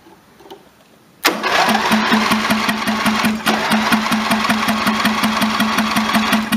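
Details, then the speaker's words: Tractor with fuel poured in and probably flooded: after a click, the starter churns steadily at about 2.5 beats per second with a buzzing tone and never fires. Cranks but won't start; fuel supply to the bowl is suspected. "put some fuel down in there can't really see it of course but it's down there it's kind of flooded so we'll probably can't crank a little bit"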